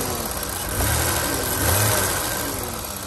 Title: 1988 BMW 735i (E32 E34) lifter tick engine idle (m30b35)